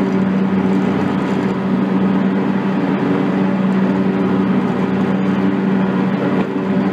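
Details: John Deere X300 rider with Kawasaki FH-series engine, 17 hours, after fixing a no-start/runs-and-dies fault from a stuck fuel shutoff solenoid; steady, even drone at good throttle with no misses or surging as the clutch is engaged, running normally.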